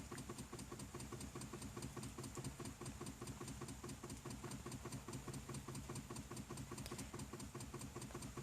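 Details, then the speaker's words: BMW 528i that won't start: door won't unlock, dash dark, only the hazard light and rear lights flicker; fast, even clicking from under the hood with no crank; owner suspects a fuse, alternator or battery, unconfirmed. "it's just making this click noise from the trunk it sounds i mean from the hood it sounds like just making a click sound"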